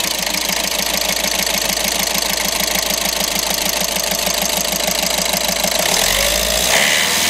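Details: VW Golf 6 with a crank-no-start problem (engine ECU relay): steady, regular ticking idle with a bright, busy top end and no stumbles, then a change near the end; normal idle.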